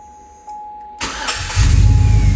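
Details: 2005 Chevrolet Tahoe 5.3L 4x4 with a new fuel pump, previously running rough, stalling, crank-no-start and P0174 lean code: quiet ticking, a brief crank, then fires instantly into a strong, even idle; clean, normal start.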